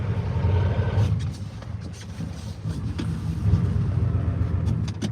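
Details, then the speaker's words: Ford diesel truck driving off-road: low diesel rumble sags briefly then catches itself, an uneven stumble; owner attributes it to air intrusion in the fuel system, otherwise a good runner. "it's got a little air Extrusion you can hear it catches itself but"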